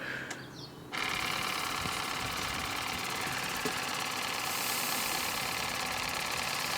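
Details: Lidl Nevadent water jet flosser on its soft setting with a full tank: it switches on after a second into a fast, even buzzing pulse that holds steady throughout, the pump working normally.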